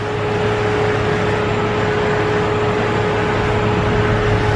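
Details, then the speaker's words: Jeep Cherokee XJ after power steering pump replacement (no leak, low fluid or air found beforehand): steering feels lighter, but a steady hum near 400 Hz remains over the engine, slightly quieter than before; power steering pump noise persists. "it is a little bit better you don't feel it is not as noisy as the previous one but you still have that noise there"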